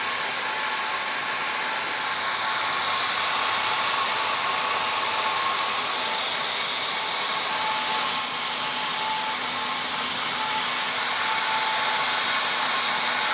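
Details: Old motor from a professional hair dryer used several years, bench-run before replacement: steady high-pitched whirring hiss with rough, crackly edge at constant speed, typical of worn brushes on a grooved, blackened commutator.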